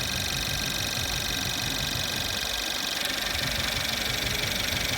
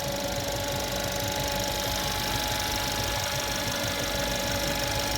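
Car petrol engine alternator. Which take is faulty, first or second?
second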